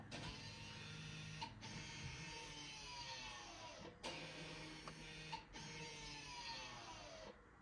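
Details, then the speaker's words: 2017 Ford Kuga Titanium X electric parking brake motors retracting into service mode for rear brake pad replacement, triggered by ignition on, accelerator held down, parking brake lifted, ignition cycled; several seconds of whirring motor runs with brief pauses. "And then you push and hold the accelerator button, the accelerator pedal, push it down, and then lift up on the parking brake, like that. And then you press the ignition off, and then back on, and then you can"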